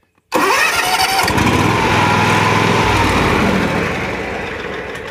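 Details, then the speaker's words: John Deere mower with no-click no-start fault traced to the mower blade engagement switch, not the key switch: switch wiggled with key held in crank, brief crank, catches at once and settles to steady even idle; normal start. "and wiggle that switch while i had that going i thought it was my key switch it wasn't but long story short that's what it was"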